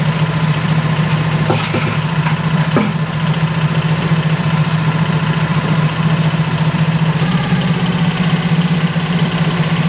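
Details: Mercury 25 hp four-stroke EFI outboard after replacing the idle air control solenoid and other parts, warming up: low, slightly uneven idle drone sagging at times, seems like it will still die; cause still unknown.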